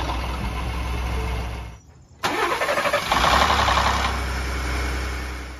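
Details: 2018 Ford F-150 3.5 L V6 EcoBoost cold start: a brief, loud metallic rattle settling into steady idle, attributed to the cam phasers (recall issued); a dealer PCM reprogram did not fix it, and replacement is pending.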